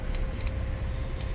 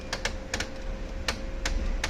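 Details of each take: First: Brother DCP-L2541DW laser printer with faulty duplex tray gears removed: only a low even hum with a few faint ticks, no gear chatter; running smoothly. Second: Brother DCP-L2541DW printer at power-on. Sharp uneven clicks rattle over a faint steady motor hum: clicking gear noise at power-on.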